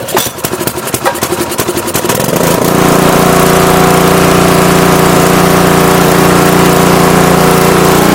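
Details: Craftsman 3400 PSI pressure washer, Briggs and Stratton engine, May 2014, which had died and wouldn't start, water running, after carburetor cleared with light compressed-air burst: few uneven pops then strong even drone, no missing; runs cleanly.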